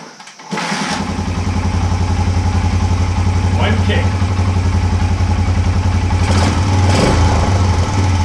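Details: 1980 Honda XL250S single, after replacing bad old fuel with fresh fuel, which cured the no-start, poor idle and stalling: fires on the first kick, then a steady, even thump with a clean blip. Runs healthy.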